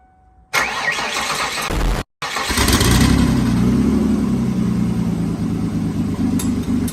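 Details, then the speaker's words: 1995 Ford Taurus 3.8L V6 with big turbo, after startup: cranks and catches, then idles with an uneven, lumpy beat and occasional stumbles; much better than before but still misfiring a little. "much better running way way way way better it's still misfiring a little bit but nowhere near as bad as it was"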